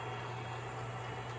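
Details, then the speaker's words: MTH Propane Turbine (20-2261-1, Proto 2.0, 2001) locomotive on track with smoke units on, after replacing the rear smoke fan motor; steady soft low hum, fan humming nearly disappears once motor RPM builds, running smoothly. "I'm pretty pleased with it once you actually start to get some RPMs on that motor huming from the fans just about dissipates"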